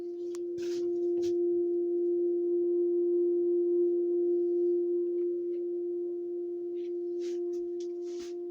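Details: House water pipe hum, heard inside near the laundry room whenever the outside garden tap is on: steady pure tone around 350 Hz, louder than ever; resonating pipe or valve, cause unclear.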